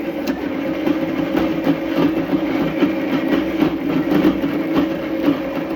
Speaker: can hear it start clunking so something yeah see sprockets weren't aligned he pushed the motor forward the clunk went away